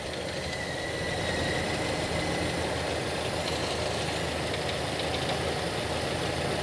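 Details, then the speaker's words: Toyota Kijang carbureted engine in neutral during ignition timing adjustment. With timing over-advanced, the engine idles unevenly with a deep thumping shake, about three beats a second; the aim is a light, stable sound. "Kalau kelebihan, nah ini seperti ini, dari mesin gerak-gerak atau terdapat deg-deg itu berarti kelebihan."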